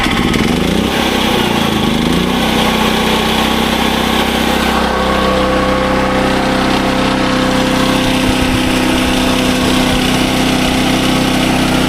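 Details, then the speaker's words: SDMO 5000W generator, Briggs & Stratton engine (about 18 hp), after repair, now putting out good voltage (about 140 V, slightly high); steady even drone, constant pitch, no hunting, surging or knocking; normal running. "Okay. Now, as you can hear, the generator runs super well. It's putting out good voltage."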